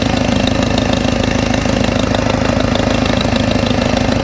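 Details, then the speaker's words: W202 Mercedes petrol engine idling after a stainless steel header install; a rapid, regular ticking puff over the engine note still sounds like an exhaust leak, owner suspects a cracked header gasket. "you kind of still hear it sounds almost like i have an exhausting like there's a almost like the uh the gasket is [ __ ] cracked"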